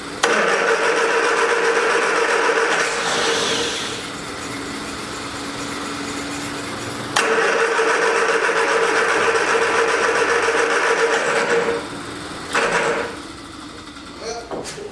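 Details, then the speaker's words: 1979 Triumph Spitfire with starting fluid sprayed at the carb: a steady cranking whir that never catches and fades as the battery runs down. No fuel at the disconnected line; owner thinks the pump isn't pumping and will probably replace it. "yeah we got no fuel so i don't think the fuel pump is working like it's supposed to so probably gonna have to end up replacing the fuel pump"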